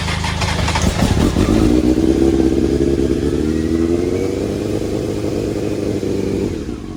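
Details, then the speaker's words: Honda CBR900RR Fireblade, 2002 (about 22 years old), four-cylinder motorcycle revived by basic cleaning after sitting for months: crisp rev climbing then settling to an even, slightly lumpy idle, no misfire or clatter; exhaust sounds mean; normal running. "brother there you little she sounds pretty mean I like that exhaust that's on it"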